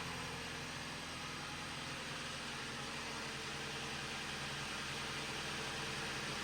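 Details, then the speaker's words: 2011 Jeep Patriot 2.4L with T355 manual transmission, warmed about five minutes: smooth, even idle with a steady hum and no whine, rattle or growl from the gearbox, even though input/countershaft bearing noise was suspected. It sounds normal. "It just sounds like a noisy normal noisy 2.4 L"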